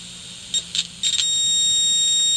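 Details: Mayfair FT-102A rim-drive tape recorder amplifier after swapping noisy transistors for a good RCA one, signal injector at the output transistor: a clean, steady high beep, loud and even after brief blips, no crackle or hiss.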